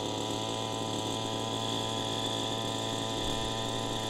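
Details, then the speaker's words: Warmed-up gas RC helicopter engine, high-speed needle set a quarter-turn rich, at half stick: steady throaty drone that never climbs, sluggish low end, struggling to reach head speed; rich high-speed needle. "we set the high-speed needle a quarter-turn richer than it was and let's see what it does already been warmed up see how that also affects the low-end it's much more sluggish on schooling off I'm at half stick right now and it's struggling to get up to head speed"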